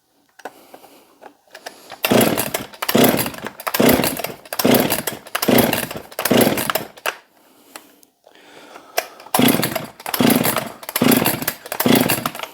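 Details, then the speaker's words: Husqvarna 262XP chainsaw after cleaning and pressure washing, choke on, air filter off: repeated rope pulls, raspy whirr, never fires; has compression, spark and fuel, owner suspects weak spark or water in cylinder. "we've got chokes on here we go should have fired should have fired by now"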